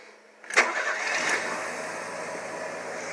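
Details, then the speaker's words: Fuel-injected Kia with an electric fuel pump, after a new valve cover gasket, restarted after sitting 5–10 minutes without touching the throttle: brief crank, fires immediately, settles to a smooth even idle; healthy start. "you ain't going to get a fuel injected automobile to start any nicer than that"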